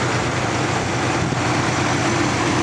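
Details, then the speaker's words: 1967 Buick Riviera V8 idling after a drive on a very hot day, temperature gauge mid-range: loud steady unbroken rushing fan roar over smooth idle; normal cooling fan pulling hard on a hot engine. "Or in the middle, rather, is what I meant to say. That fan is roaring there. Listen to that. That's all the fan roaring."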